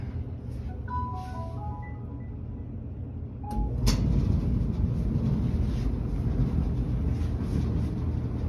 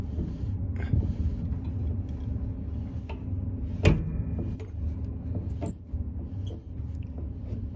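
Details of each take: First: Whirlpool dryer about two to three years old, after lubricating a drum bearing that caused a loud squeal, no parts replaced: steady low tumbling rumble with no squeal or chirp; normal quiet running. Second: Whirlpool clothes dryer about two to three years old: short high-pitched chirps about once a second over a low rumble as a lint-clogged idle pulley is spun by hand, the dry bearing causing the running noise; fixed by cleaning and lubricating.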